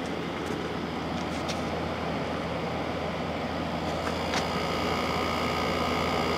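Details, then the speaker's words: LG ThinQ window air conditioner, about 10,000 BTU, after a capacitor change for a fan that would not start. Smooth steady low drone with no knocks, rattles or cycling from the LG compressor. Normal compressor running. "your compressor sounds nice on"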